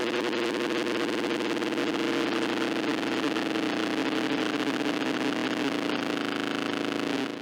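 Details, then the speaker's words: Sound Blaster Pro 2 CT1600 in Pentium 200 socket 7 PC, nothing playing: steady low buzz with harsh raspy noise from the output; hum and buzz from failing amplifier supply. "Right, so I understand why I was told that the card is making noise. This happens without nothing running, so there's definitely some noise coming out of the board."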